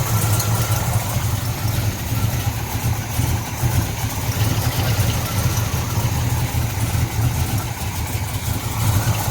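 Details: 1970 Pontiac LeMans, rebuilt 455 bored to 461, 6X heads, Quadrajet carb, with MSD 6AL-2 ignition box: deep, steady V8 burble, even idle with no misfire, stumble or surging; normal idle.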